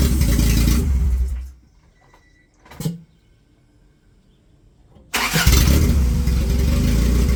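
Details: 1995 Honda Civic EJ1, first start of replacement engine swapped in for rod knock, fuel primed: engine runs, cuts out, brief clunk, then fires and settles into a steady, even idle.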